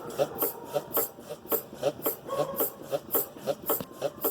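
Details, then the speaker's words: 2011 Hyundai i30 2.0, car rocked by hand while standing on the ground: sharp creaking clicks about twice a second, in time with the body movement, from a worn sway bar (stabilizer) link. "Olha o barulho que a bieleta tá fazendo aí, ó."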